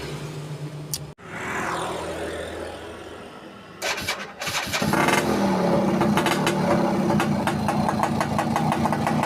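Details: Yamaha Alfa motorbike that wouldn't start, fixed after finding a broken red wire at the regulator socket: a couple of cranking attempts, then it catches and settles into an even, steady putter at idle; healthy.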